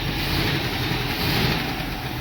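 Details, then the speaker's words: International Scout V8 after about 13 years sitting, new plug wires, now fed by its fuel pump from a temporary gas tank: steady, even idle with no misses, knocks or hunting, settling in smoothly; owner unsure oil pressure gauge works. "Sits here in idle, it's like a brand new rig."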